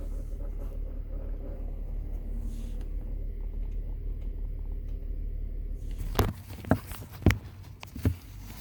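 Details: 2003 Honda Pilot with sharp clicks from behind the dash, about two per second, when temperature is set between max cold and max hot. Blend door actuator fault, fixed by cleaning it and regreasing with dielectric grease.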